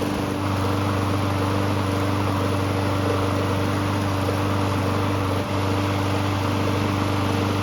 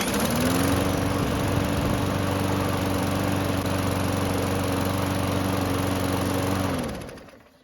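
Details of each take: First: Free Murray walk-behind mower, small single-cylinder engine, won't start on its primer button: putters steadily with an even low drone only after fuel is squirted in by bottle; carburettor works to some extent but isn't priming, so primer faulty. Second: Murray mower with used ignition coil installed and carb primed: catches at once and runs a steady, even single-cylinder buzz about seven seconds then winds down; starts and runs, normal running.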